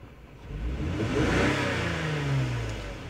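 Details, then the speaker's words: 2003 Lexus GS300 V6 revved: stumbling, uneven note and hesitation from single-cylinder misfire on cylinder 2, confirmed by scan tool misfire counts; suspected coil pack, plug, wire, injector or intake leak. "so this problem could be either a maybe a faulty coil pack a spark plug ignition wire injector maybe a leak on the intake manifold on that runner so as I rev the engine up I do feel that hesitation that misfire"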